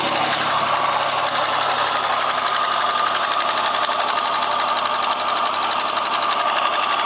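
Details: X30XE engine on a cold start with the check-engine light on: steady running with a quick, light rhythmic tapping riding over it throughout. Engine knock, source not pinned down.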